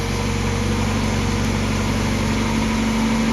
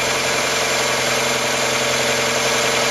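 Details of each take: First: Mazda MX5 just after oil flush and change to Mobil 1 0W40, started after cranking with plugs out; loud idle with slightly uneven beat, running rough from fuel left in the cylinders during cranking. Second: Mazda MX5 idling after an oil flush from 10W40 semi-synthetic to Mobil1 0W40 fully synthetic to cure ticking hydraulic lifters: steady, much quieter idle with only a light, fast injector tick; the lifter tick is gone.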